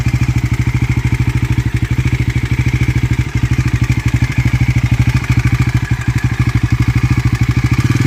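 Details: Bajaj Pulsar NS400 single-cylinder at idle: quick, steady ticking over the engine's thump at a constant rate; a top-end tick whose source can't be pinned down by ear, cause unconfirmed.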